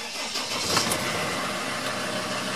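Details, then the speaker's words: Sprinter T1N diesel van started after replacing a leaking turbo hose and clearing the P0299 turbo underboost codes with iCarsoft; the check engine light is now off. It turns over briefly, catches cleanly and settles into a steady, even idle: a normal start. "and the engine service light is off we use the icar soft to reset the check engine light is no longer there so we are good to go"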